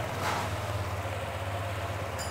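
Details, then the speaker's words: Honda Click 150 after fixing a very noisy engine by replacing the magneto, whole crankshaft and side bearing: quiet even low idle with no ticking, knocking or grinding; engine now healthy. "yun mga kuys, tahimik na. At hindi na siya balagbang intuno kanina."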